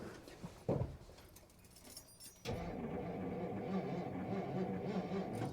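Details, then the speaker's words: 1957 Dodge Texan, unrun about 15+ years, first start attempt: starter drags engine slowly and unevenly, roughly three laboured turns a second, without catching; slow cranking. "very slowly so give it a little bit of starting"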